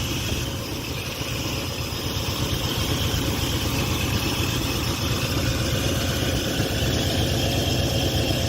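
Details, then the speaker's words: Dodge Ramcharger revived after about 16 years sitting, idling hot in neutral while transmission fluid is checked and topped up: steady low rumble with an even beat, no knocks or misses; running good. "Seems like it's running good. It seems to be running good, yeah. Can't wait till we get this thing on the road."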